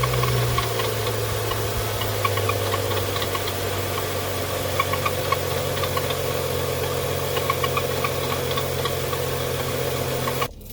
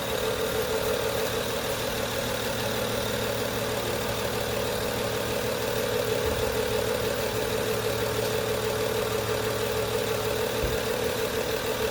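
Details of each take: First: 2011 BMW 335i xDrive E90, N55 six-cylinder, idling before replacement of belts fitted about two years earlier that began squeaking when temperatures dropped; loud idle with busy chatter and rattle from worn accessory belts and tired tensioner and idler pulleys. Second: 2011 BMW 335i xDrive E90 with N55 six-cylinder, just after replacing engine belts and pulleys because of cold-weather squeak: steady, even idle hum, no chatter or rattle, belt drive quiet. Normal idle.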